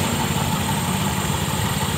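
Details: 2021 Honda Scoopy after replacing variator and rollers in the CVT: even, steady low idle hum with no knocks, rattles or slipping noises; drive idles smoothly and healthy.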